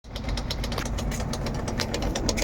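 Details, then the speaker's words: Samsung WindFree 12,000 BTU air conditioner, two days after installation: low droning hum with buzzy rattle and irregular metallic taps; owner suspects loose, badly fitted screws, noise stops when held. "tô achando que esse parafuso folgado quando eu seguro, paro. Ele começa a tremer quando tá embaixo a rotação de noite uma zoada arretada."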